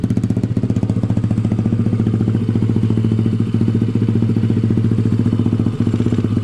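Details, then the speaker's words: Honda ATC70 with a Piranha 140cc single, warming up after first start: a steady, even idle thump with no misses, knocks or rattles, and a good, not-too-loud exhaust. "Just going to let it idle for a second or two. Exhaust sounds good."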